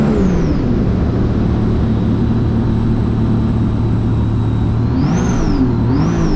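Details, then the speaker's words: 2017 supercharged Sea-Doo RXT-X 260 jet ski with higher-compression pistons, after fuel was adjusted in the map tuner: a steady loud drone with a thin whine and two quick blips that lift the pitch, then ease back; smooth, normal running. "all right we adjusted the the fuel on the He adjusted on the computer on on the map tuner and we're going back see what we got"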